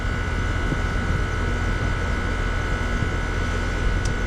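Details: Goodman heat pump, newly replaced R-410A compressor: deep steady hum with even fan rush, no knocking, rattling or squeal; running smoothly. Charged 146 oz (nameplate 140), head 258, suction 150, 3° subcooling and superheat, 78°F outside, 74°F inside.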